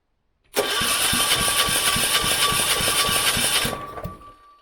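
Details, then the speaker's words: Kipor 6700TA generator with a Yanmar L100/186F small diesel, bought as a non-runner, with air in the fuel lines and compression issues possibly unfixed (dodgy bolt): steady fast cranking of about 3.5 compression pulses a second and a big pop back out the intake, but it never starts. "Nothing yet. It felt like it wanted to go there to me. And a big pop back out the intake there."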